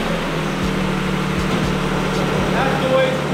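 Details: Engine: smooth, steady low drone with no knocks, misses or rattles, even tone throughout; healthy engine running cleanly.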